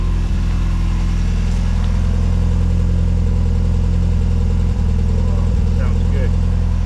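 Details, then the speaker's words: 1970 Mini Cooper S Mk3 after carb rebuild and timing set: strong, steady low drone with an even beat and no misses or knocks. A normal, smooth idle. "oh yeah beautiful I'm so happy that it's"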